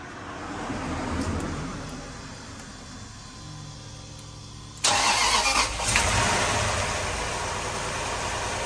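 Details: 2004 Lexus GX470 V8, first start after full reassembly with no coolant yet and a radiator-fluid smell: quiet cranking, then catches with a sharp burst into a smooth, even idle about 700 rpm with no misfire; normal idle.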